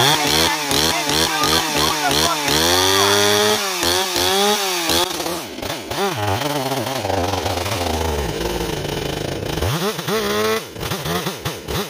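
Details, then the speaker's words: Stihl 028 chainsaw at running temperature after a hard restart; speed hunts up and down in rapid surges, never holding steady idle; owner suspects an air leak detectable only when warm, despite new crankshaft seals, and low-end tuning issues. "He's acting up still. Got an air leak. The way it's changing so much, these 028s, they get air leaks that you can only detect at running temperature."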